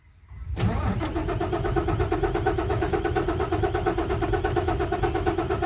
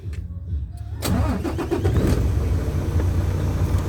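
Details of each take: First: Isuzu 6WF1 diesel, hard starting with no trouble codes: long even cranking about nine seconds that never catches. Cause: stuck pump control valves (PCV) over-pressuring the fuel system. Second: Isuzu 6WF1 truck diesel after PCV valve fix for hard starting from over-pressure (no fault code): brief crank, then it fires at once into a steady, even idle; clean one-touch start.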